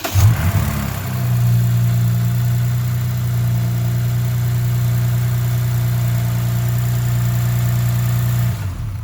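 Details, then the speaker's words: 2006 Lexus IS350, 3.5 L DOHC V6, just after NGK spark plug replacement: catches quickly and settles into a smooth, even idle with no stumble or misfire; normal idle. "As you can see, it starts and it's not misfiring, so it looks like we're good to go."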